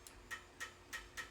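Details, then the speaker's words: 3D printer extruder clicking during a livestream: sharp, regular clicks about three and a half times a second over a quiet room, the extruder skipping. "SPC 3D shot down like a cannon that sounded like my extruder clicking"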